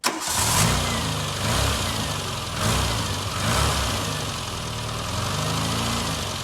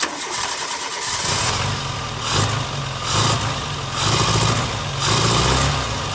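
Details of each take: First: Barn-find Austin Maestro after service and fuel pump replacement, rainy day: fires straight away, a couple of light blips, then a smooth, even idle; normal start, no fuel leaks, pump drawing from tank. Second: Barn-find Austin Maestro carburettor engine, not yet warm, with the mixture leaned and idle speed raised. It catches, then surges and sags about once a second without settling. The rough idle may need warm-up with the choke in and mixture/idle screw adjustment.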